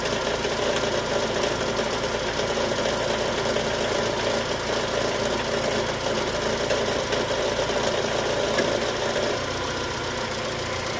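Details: Chevrolet Cruze/Sonic engine at idle: steady idle with a faint, uneven rattle on top, not locked to a clear beat; abnormal engine noise, cause unclear.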